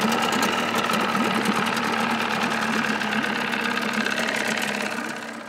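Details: 1979 Evinrude 35hp outboard idling with sound-deadening insulation under the hood, meter reading about 80–83 dB beside the motor and 76 dB two feet back: a steady, fairly quiet idle with an even patter and no knocks; healthy.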